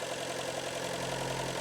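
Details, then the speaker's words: Fiat Grande Punto with the same 1.4 T-Jet engine, cold, on fast idle during a PCV check: smooth, even fast idle with a steady hum, no ticking or knocking. Healthy; oil cap only very slightly sucked in. "là on est sur ma grande des Punto donc même moteur et là on est motor froid ralenti accéléré"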